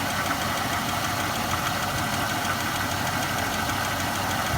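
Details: 2006 Chevrolet Impala LT 3.9L with codes P0010 and P0306: rough, unsteady idle with a busy clatter and no clean even beat; cylinder 6 misfire at idle that clears under load but sometimes returns while driving, cause not found.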